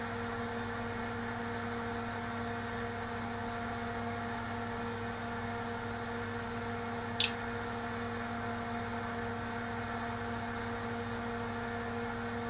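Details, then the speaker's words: Tektronix TDS 420 oscilloscope rebuilt from a scrap box of parts, restarted after the DSP error code was cleared: a steady, loud, noisy fan whir with a low hum and one faint click during the self test, which passes. "oh listen to that fan"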